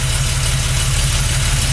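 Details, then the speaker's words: 1977 Porsche 911 air-cooled flat-six first start after months of hibernation, fresh oil change, new oil cooler hose and battery; smooth idle with a little huffing and puffing, not much smoke, steady even burble with no knocks, misses or ticking. Normal idle. "That's smooth. A little huffing and puffing."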